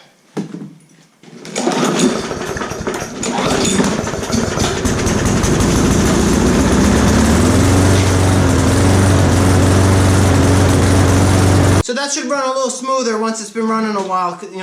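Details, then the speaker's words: Lawn mower single-cylinder after straightening bent crankshaft from hitting rocks: starts and settles into steady, even run without heavy shaking; fixed, no longer shaking much. "so this is fixed alright that's definitely fixed that's not shaking too much anymore"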